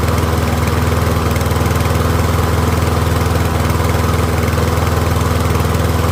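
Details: Troy-Bilt rear-wheel-drive mower with Briggs & Stratton engine, after ultrasonic carb cleaning, warmed up and left running on partial fuel, pretty quiet: even, steady single-cylinder putter, no misses, surging or knocks; running cleanly.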